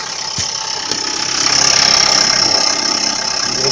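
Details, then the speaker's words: Renault Scenic 3 1.5 dCi (K9K 636), cold start: about 10 s later, as alternator load and heater come on, a tinny rattle at front right, gone at raised rpm; belt, damper, pulleys ruled out, compressor pulley suspected. "Когда обороты поднимаешь, этот звук исчезает. Итак, мы запускаем и сейчас пойдем слушать. Пока тихо. Начинает что-то дребезжать."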